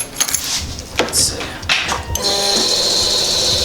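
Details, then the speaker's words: Suzuki GSX-R motorcycle at key-on, engine off: a few clicks then a steady high-pitched electric whir from the secondary throttle valves opening, stopping once the bike starts; normal. "now you hear that extra noise that's the secondary throttle bodies it's just essentially over opening as soon as you start the bike it turns right off"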